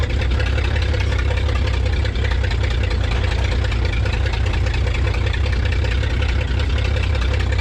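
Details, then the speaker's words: 1934 Chevrolet farm truck six, abandoned in a field for decades, running for the first time: a deep, steady low idle with a slight lope and lots of blow-by. Normal idle. "she's running's going we got her Mojo she got a little bow by to her heck it's even idling"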